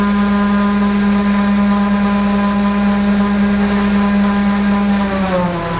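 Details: Raptor prototype aircraft engine and belt redrive prop, after fixing redrive belt problem and tune-up, static full-power thrust run: loud steady droning roar at one pitch, no misses or rattles, easing slightly; about 473 thrust, 24% up.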